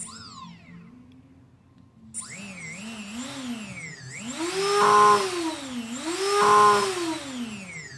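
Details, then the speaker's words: Brushless motor on a 180 build, tested with no props through a YKS servo tester: a clean whine rises and falls as the knob is swept twice, no rattle or grinding; it works and spins counterclockwise. "So definitely works, and it is spinning counterclockwise, even though it's kind of hard to pick that up."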